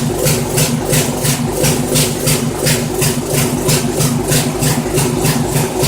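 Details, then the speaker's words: Poulan 900 rototiller, Briggs & Stratton engine, run indoors with clogged air filter removed: uneven, loping idle about three beats a second, hunting and rough; owner concludes carburetor must be cleaned. "no doubt about it got a clean out that carburetor"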